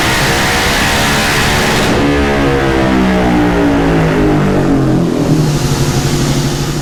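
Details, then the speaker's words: 2019 Yamaha Raptor 700 SE single with built top end, Dasa full exhaust and Vortex ECU on the dyno: pulls hard with pitch climbing evenly then dropping back, no misses or knocks; runs smoothly, high-58 hp and 47 lb-ft. "the main thing is that the machine was running smoothly and it ha"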